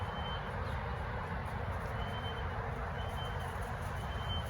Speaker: it's not as loud down here it's not somebody's car i can't figure it out it's just ear piercing and it's kept me up since four o'clock this morning